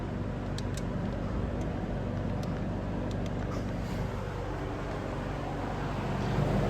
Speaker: The balancing is honestly really good on here. It's getting pretty loud at this point, but it's pushing a really good amount of air.